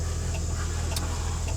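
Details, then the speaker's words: Ford bucket truck with 7.3L IDI International turbo diesel that won't run, key on, engine off: faint light ticks about once a second over a low hum; glow plug solenoid cycling, possibly indicating worn glow plugs. "solenoid. Oh, okay. And they say on YouTube that if it ticks, could be you need new glow plugs, which I assume this needs anyways."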